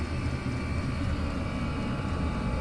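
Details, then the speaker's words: Chinese diesel (kerosene) air heater after fitting an ultra-quiet fuel pump to cure fuel pump ticking; only a steady low fan and motor roar with no ticking or clicking; normal quiet running. "That's much better. Yeah, if you look at some of my other videos, you'll actually hear it. Same heater, you'll hear it so much more noisy than this."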